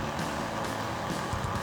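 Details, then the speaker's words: Older laptop running boot repair: steady loud whooshing roar, no rhythm or clicking; cooling fan running flat out, owner fears overheating and plans to inspect the fan, cause unconfirmed. "hopefully this works because I don't want this fan to be on that much longer I don't want this computer overheating or"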